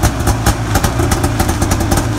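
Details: Arctic Cat 570 snowmobile, Japanese two-stroke engine, electric-started outdoors at minus 40 on new Varta AGM battery with full choke; fast, slightly uneven, firm steady popping at idle; normal cold idle.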